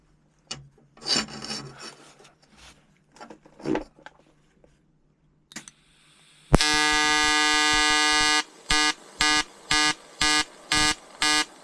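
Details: EWM Tetrix XQ 230 Puls AC/DC inverter TIG welding 5000-series aluminium lap joint: 2.4 mm lanthanated tungsten, 2 mm filler, 94 A pulsed (0.20 s pulse/0.30 s pause), 150 Hz rectangular AC. Handling noise, steady high buzz, then even bursts about twice a second; normal AC TIG arc.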